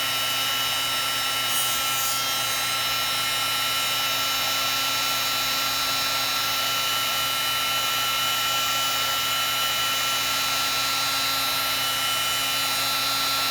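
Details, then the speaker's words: Heat gun previously taken apart by owner, running: steady loud airy blower roar with a faint scratchy grind. Owner suspects the fan rubbing. "Okay. That doesn't sound that great. It's just hear a little bit of a grinding sound."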